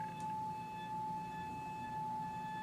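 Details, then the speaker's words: Electro-Voice T35-type horn tweeter (Klipsch K77) with replacement diaphragm, fed ~800 Hz test tone through a capacitor: steady tone with faint buzzy overtones as the diaphragm moves out of alignment and rubs inside. "I'm gonna turn the air conditioner off behind me whenever I move it you'll be able to hear to come in and out of alignment"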